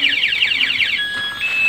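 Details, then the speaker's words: Motorcycle aftermarket alarm armed in silent mode, ignition lock forced: fast warbling high siren sweeping up and down, then steady tones, sounding until disarmed; alarm triggered by ignition tamper. "Tapi di saat kunci kontak kita dibobol, kunci kontak sini dibobol, dia tetap akan berbunyi. Nah, tetap berbunyi"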